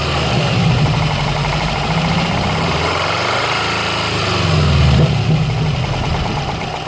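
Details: 2013 Subaru Impreza WRX at idle: loud, fast, uneven ticking about four per second like a golf ball sliding around inside the engine, near the turbo; source not yet found.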